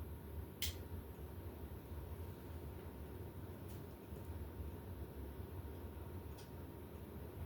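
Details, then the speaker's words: 1986 52-inch ceiling fan of unknown make, twin of a 1984 GE, running on high with light kit on: steady even low hum, faint constant tone, no ticks or wobble; moves much air, noise very different from other fans; normal. "this one moves quite a bit on high it's also a very very different noise"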